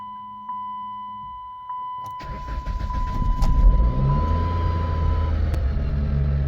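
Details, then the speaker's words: $300 2007 Chrysler Sebring 2.4 restart after a new accelerator pedal sensor, spark plugs, coils, valve cover gasket and throttle body; chime, crank and catch, then a raised steady idle with no knocks. High idle that later came down; codes still stored. "All right, the idle finally did come down. Gave the computer a little time to kind of recognize what she was doing."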